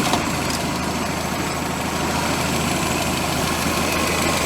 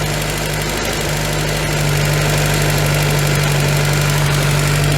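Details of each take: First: VW Scirocco MK2 with Pierburg 2E2 carburettor, restarted after three years sitting, warmed up with thermostat opening; even, steady idle with constant low hum, no knocks or misses; normal hot idle. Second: VW Scirocco MK2 with a Pierburg 2E2 carburettor, whose waxstat fast idle speed is too high: a steady four-cylinder idle that eases slightly as the Allen screw is backed off, settling near 1100 rpm with some heat in.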